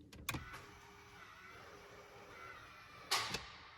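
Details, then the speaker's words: Rodeo/Colorado transfer case with manual 4WD wiring that bypasses the TCCM, shifting from 4 high: a longer faint motor whir between clicks, then a louder, firmer final clunk. This is a normal shift into 4 low. "So that time is a lot longer, you can tell, and there's a louder clunk. That's now in 4 low."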